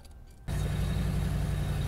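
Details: 2011 Ford Crown Victoria that had a crank-no-start tied to the trunk fuel pump inertia switch: engine catches and settles straight into a low, steady idle without stumbling or misfire.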